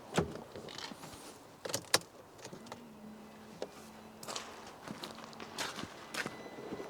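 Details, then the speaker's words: Mercedes C-Class after engine refit, ignition on after reconnecting in-tank fuel pump and level sensor: faint steady low hum about two seconds, gurgling fuel toward filter, under clicks; normal fuel pump priming. "right so I can just hear that pump in the fuel away now coming up to the filter here nice and gurgly see sounds like she's there"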